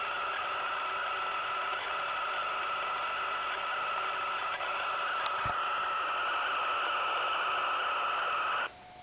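Steady hiss with a constant mid-pitched whistle riding on top for the whole clip, then it cuts out; reception interference, cause unknown.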